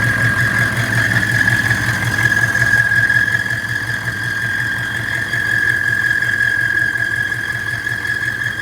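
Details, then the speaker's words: 1997 GM 6.5L diesel truck (lacks power, hesitates near 1500 rpm) at idle: constant high-pitched squeal over the diesel clatter from the belt drive; owner suspects tensioner or, more likely, vacuum pump, unconfirmed. "like it's either the tensioner or the vacuum pump probably the vacuum pump i hear negative about those but i wish i could shut that up"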